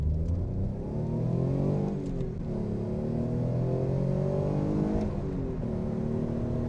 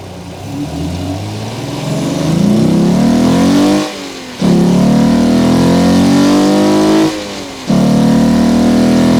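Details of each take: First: Alfa Romeo GTV 3.0 Busso V6 with the air induction kit swapped back to the stock airbox, accelerating through the gears: engine note climbs smoothly, dips at two gear changes, rises again; clean, even pull, quieter and more refined. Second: Alfa Romeo GTV 3.0L Busso V6 with aftermarket open cone induction kit, microphone under the bonnet while driving: deep intake roar rising with revs, breaking at two gear changes; loud intake noise, kit being removed for stock airbox.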